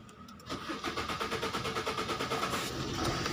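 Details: 2016 Maruti Swift Dzire diesel: starter cranks in even pulses about three per second for over two seconds before barely catching; late start, no stored fault codes, rail pressure 4800 psi checked; attributed to timing chain fault, fix timing chain and correct timing.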